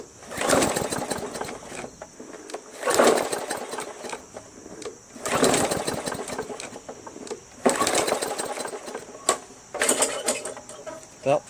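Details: Free roadside MTD Yard Machines 20" push mower, Briggs 300E engine: repeated pull-starts, each a short gurgling burst that never catches; first suspected timing/sheared key, but water found in carburetor bowl and fuel tank; runs after draining and carb clean.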